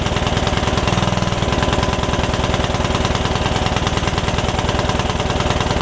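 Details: Free Yard Machines riding mower, single-cylinder engine that had filled with water after sitting with air filter off, first start after revival, valves not gapped: steady thumping, slightly uneven and lumpy, no clear knock; owner suspects running rich, rough running.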